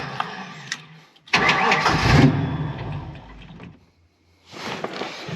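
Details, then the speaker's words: Ford Mustang Foxbody with swapped automatic engine computer, TPS checked: cranks, catches with rough burst, stumbles and nearly dies, then fires again; ran better on other computer, owner suspects base idle reset needed. "Okay, doesn't even want to run on this computer. There we go."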